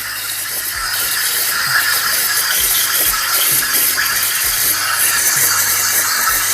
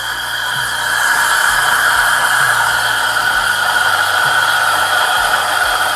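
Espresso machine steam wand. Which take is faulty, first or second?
first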